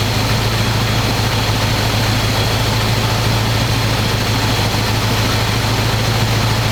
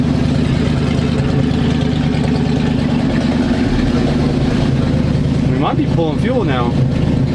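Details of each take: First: 1985 square-body 454 big block, 4-speed, sat 20 years, oil and filter changed; after adjusting idle screw that wasn't touching throttle, warm engine idles smooth: deep steady low rumble, even beat, no knocks, misses or stumbles. Normal idle. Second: 1985 square-body 454 big block, 4-speed, sat 20 years, fresh gas, 45-50 psi oil pressure, charging; choke on, steady even rumble at raised idle, no ticking or knocking; owner may need to work on choke/carb, won't rev well. Fast idle on choke.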